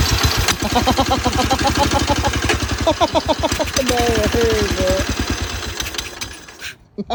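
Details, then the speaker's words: 1954 Cushman Allstate scooter, 5 hp Cushman Husky single-cylinder with magneto, first run after sitting with gas poured in the carb: steady, even putter firing cleanly and holding speed without misses; running well. "There you go. So yeah, it ran great the first time around. All we did was pour some gas in the carb and it fired right up."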